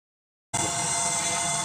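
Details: Microwave oven cooling fan motor, removed for testing: small motor spins up to a steady hum with a harsh, hissy whir on top; dry fan motor bearing.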